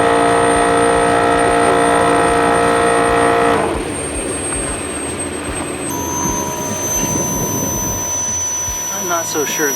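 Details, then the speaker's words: Bulldog air compressor that the owner said sounded ready to blow up: a loud, steady motor drone with a strong whine whose tone shifts partway through. Bulldog later tested it and said nothing was wrong with it. "You may have remembered a while back I was having some troubles with this Bulldog air compressor, and it kind of sounded like it was about ready to blow up."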